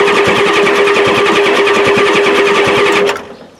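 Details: 1993 Ford F-250 7.3L IDI diesel after new injectors; the injection pump is suspected out of time. Steady rapid cranking at about 3.5 beats per second under starter whine, with no firing; it won't start on this attempt.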